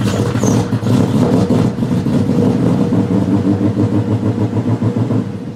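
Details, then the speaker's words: V8-swapped BMW E30 after a rally: engine revs roughly, then sags and fades as throttle closes; stalls on throttle release or clutch-in despite a cleaned idle control valve, running rich and smoky; cause was a loose, corroded positive battery cable starving the engine computer. "so for a while i thought maybe the idle control valve wasn't opening when the throttle shuts so to like you know catch it um clean that out everything's fine there so like yeah it'll idle perfect"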